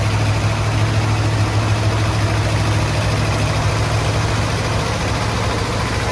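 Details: 1972 Ford F-100 XLT Ranger V8, sat 15 years, run with coil bypassed: heavy low idle with slight lope, no tapping or grinding; rough idle after long storage but running on its own.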